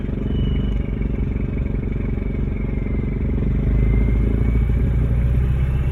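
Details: Toyota 2L-TE 97 hp diesel near idle with exhaust pipe fallen off: loud diesel clatter with a thin high turbo whistle drifting with revs, exposed by the detached exhaust.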